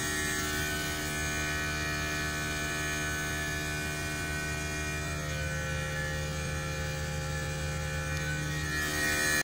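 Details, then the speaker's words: Samsung aircon outdoor unit compressor running continuously without cycling in a large area, casing very hot; steady loud deep hum, excessively noisy compressor while the board blinks normally; amperage checked at 7.7. "So bali yan guys, talagang ang ingay ng compressor niya."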